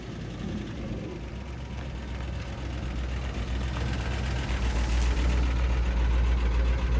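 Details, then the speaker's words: Quick, steady valvetrain ticking, about 220 a minute, over a low V8 idle on a 1972 Ford F250 4x4 Highboy revived after sitting 15+ years; a bent pushrod or sticky lifter suspected, not confirmed. "It definitely has a bent push rod or something. Sticky lifter. Who knows?"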